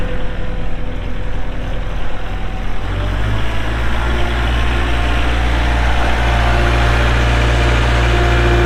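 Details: 2023 Kubota L4701 4WD tractor, 47 hp diesel, gear drive, 98 hours: the diesel catches and settles into a steady, even low idle with a deep rumble and no knocks or misses; normal start and idle.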